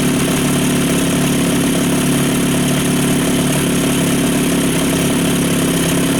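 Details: Two-stroke outboard after full fuel system refresh (carb cleaned, new fuel pump, fuel flushed, fresh mix, plugs), previously wouldn't idle: steady, buzzy idle without stumbles, surges or dying; smoother than it's ever idled.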